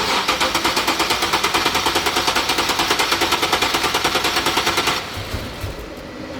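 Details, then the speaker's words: 2013 Nissan 370Z at 151k km, after coolant leak repair: the engine catches with fast, uneven, rattly firing of about three beats a second and dies within five seconds. Fuel line probably still filling; MAP or mass flow sensor suspected, needs tuning. "You see it's filling up the line probably. >> Yeah. Start again. Leave it. Leave it. Leave it. You're not going to start."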